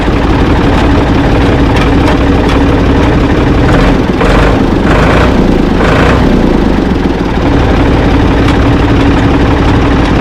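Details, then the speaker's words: Ford 445 diesel tractor, owner thinks a 1970s model, restarted with owner aboard: loud, even clatter at constant idle, no knocks, misses or squeals; engine healthy, though drive in forward and reverse quit, owner suspects linkage. "but I think it's uh I think it's going to be a good tractor though. It starts up good, runs good."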